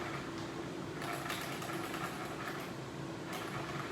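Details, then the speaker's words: Traxxas Slash RC truck after fitting street tires: constant high whir with a faint tone and small surges from the drivetrain; owner unsure whether it's normal and also notes the rear wheels look toed in. "i wanna know why my car sounds like that here it is"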